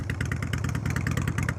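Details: 1993 Harley-Davidson FXDWG Dyna Wide Glide Evo after carb cleaning, left idling to check for leaks: steady loping thump, even pulses, no misses or stumbles; healthy, ready to go home.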